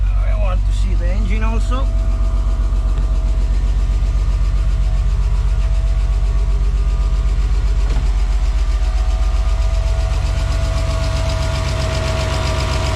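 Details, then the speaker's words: BMW E34 Touring, M50B20TU engine sitting dry about two years, first start after an oil pan change and six liters of fresh oil: a steady but coarse rumble with a slightly uneven beat. A weird, rough running sound after long storage. "okay let's try Wow it runs yeah okay that's a weird sound"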